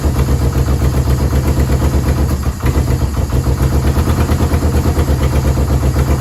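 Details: Yamaha VMAX 1200, sat about 5 years: steady, slightly lumpy low idle with even pulses, no misses, no smoke; runs only on choke, dies without it; owner suspects clogged carburetor jets.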